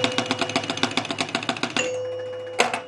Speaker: now i'm going to do the same thing i'm going to close the out hole up here manually and listen for the two bells as this thing scans here it we got the two we got both of those outside targets